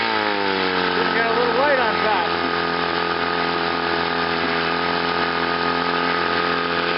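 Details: Chrysler outboard with a new water pump, rebuilt carburetor and new fuel pump runs steadily in forward gear on a test wheel with an even, unbroken hum. The ignition misfire is repaired and gone, and it is ready for a lake test.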